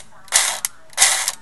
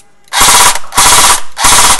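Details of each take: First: Echo1 USA Platinum airsoft M4, broken per customer, trigger pulled on semi-auto: short whirring bursts of motor and gears with no shot cycling. Nozzle/tappet plate moves, so motor and gears work; stripped piston teeth suspected. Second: Echo1 USA Platinum M4 airsoft gun after replacing stripped piston: crisp rapid cyclic bursts, even shot spacing and steady rate on semi and full auto; gearbox firing normally, good air seal.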